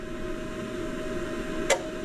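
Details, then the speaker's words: Go Go mobility scooter battery charger running through a power inverter on a weak battery. A steady hum, then a crisp relay click as the charger cycles on and off, pulsing up to 18 volts before the voltage drops back. "Okay, it's cycling on and off. Where's our meter? So it's pulsing up to 18 volts and the voltage is going back down."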